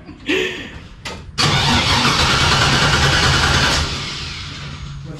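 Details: 1957 Chevy Bel Air with abandoned LS 5.3 swap, on a jump box with a dead 2021 battery: starter churns steadily about three beats a second for several seconds without catching; extended cranking, no start.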